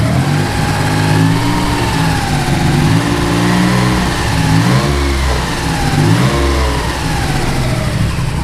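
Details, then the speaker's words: 3000GT VR4 / Dodge Stealth after two-step flame-tune testing with fuel, restarted: deep, steady engine settling from a few blips into an even idle with no knocks or rattles, sounds fine; left idling about 5 minutes to circulate and cool oil. "it sounds fine. I'm going to let this thing idle, get all the oil rolling through it, cooled down and everything."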